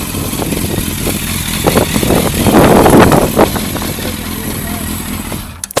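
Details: Yamaha FZS600 Fazer motorcycle: uneven, stumbling idle with irregular pops and surges instead of a smooth beat; rough idle, owner doesn't know the cause.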